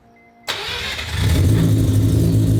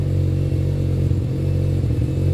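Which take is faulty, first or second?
second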